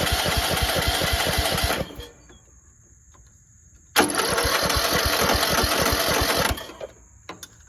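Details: Cheap used riding lawnmower after fixing the exhaust with a 5/16 bolt, no gasket: small single chugs evenly about four beats a second, stops and restarts cleanly, much quieter, no leak rasp, still blowing some oil from somewhere; normal running.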